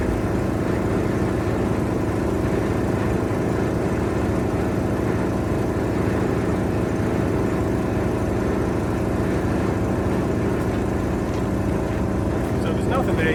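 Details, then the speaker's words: 1973 Mack FR711 with 250C diesel and quad box, injection pump primed by hand and electric pump; dense, steady churning drone with slow pulse, never catches; suspected pump not building enough pressure, air may need bleeding. "So, it's seems like it's not building enough pressure in that pump yet."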